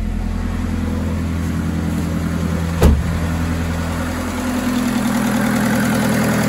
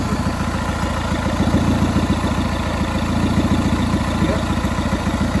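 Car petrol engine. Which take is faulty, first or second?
second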